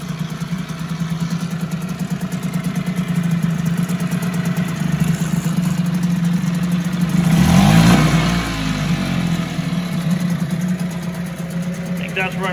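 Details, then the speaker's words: 1974 Mercury 4 hp single-cylinder two-stroke outboard, revived after sitting a long time, first test run: steady buzzy two-stroke beat with one brief rev swell settling to even idle, no stumbling; runs like a top, normal running. "good love it runs like a top"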